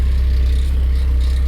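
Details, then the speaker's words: Porsche 944 first start after sitting over 10 years: deep steady idle with a fast, loose buzzing rattle from something underneath, source not yet found; rattle at idle. "Let's see if this will start up after being sat for over 10 years. Something under here is rattling like a good."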